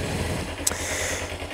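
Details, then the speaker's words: Kawasaki ZZR-250 (EX-250) twin at idle after cleaning and reinstalling the cam-chain tensioner: even, smooth patter with the previous metallic top-end clicking gone, just one faint stray tap. Running smoother. "Bike's on. And listen to that, there's no more. It's running much smoother."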